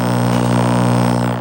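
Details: Popeye arcade game before its audio amp was repaired: a loud, steady buzzing drone with stacked tones replaces the game sound, caused by leaking capacitors in the audio amp.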